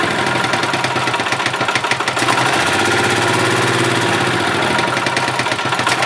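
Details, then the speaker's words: 1991 Yamaha G8 gas golf cart engine after carburetor cleaned of junk and worn-out fuel pump replaced; small single-cylinder putting along at steady idle, even pulse with slight speed change as the mixture screw is set: running as it should. "you're right I think that is a result that is working as it should all right guys well there you go carburetor had junk in it and the fuel pump was shot"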